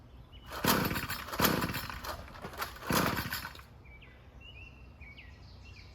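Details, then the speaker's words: Weed whacker small two-stroke after fuel line and carburetor replacement, carburetor empty at first; three pull-cord rips with brief sputters, never catches, owner suspects flooding, and throttle was not being pressed. "It ain't starting, so no reason. It should be, but I think I flooded it already to be honest with you."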